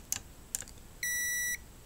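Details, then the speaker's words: Sony XBR 65X850E TV with no power and a buzzing noise, multimeter diode test: two probe taps, then a steady beep in reverse bias showing a dead short; one or both paired diodes failed shorted, to be replaced. "I was supposed to get an O okay but I'm getting an zero so either these two either these two are bad or one of them is bad"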